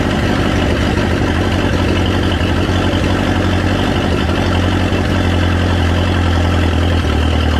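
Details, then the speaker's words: Chrysler LeBaron warm after distributor timing corrected from 180 degrees off; big cam, no real exhaust, starting better. Loud, steady low rumble with even firing, no misses or knocks; normal idle. "oh definitely not mad about that it started a lot better that time"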